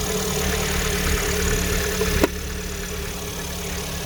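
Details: Chevrolet Orlando at exactly 55,000 km after valve cover gasket replacement and cover washing: thin steady high whistle over a smooth even idle from the crankcase breather (PCV) membrane.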